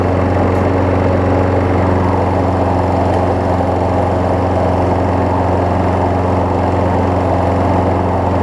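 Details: Craftsman 6 hp self-propelled mower after a new spark plug, belt refitted, testing self-propel: an even, steady drone at constant speed with no misses, knocks or surging; the engine runs healthy.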